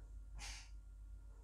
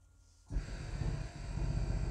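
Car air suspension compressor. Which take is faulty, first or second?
second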